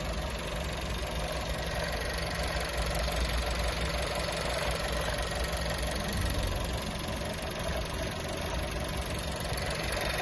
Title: VW Touran 1.4 TSI DSG, Bj. 2018, Motorgeräusch